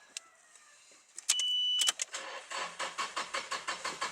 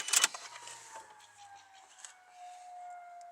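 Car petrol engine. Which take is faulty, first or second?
first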